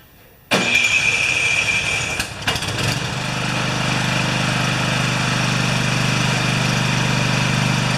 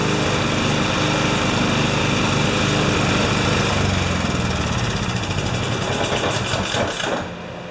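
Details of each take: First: Husqvarna snowblower with a 14.5 hp Briggs & Stratton OHV engine that only runs on choke: the electric starter spins about two seconds and the engine catches cleanly into an even, steady run. Easy, healthy start. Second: Husqvarna snowblower with a 14.5 HP Briggs & Stratton OHV engine that only runs with the choke on, out of gear, throttle up: fast fairly steady running on choke, then sagging and dropping off; cause not yet found.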